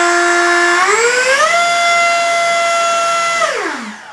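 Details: FMS F-15C Eagle 64mm EDF ducted fan on 3S battery, after a sleeve fix cured the earlier vibration noise; clean whine rises smoothly, holds steady without rattle, then winds down evenly, a healthy fan.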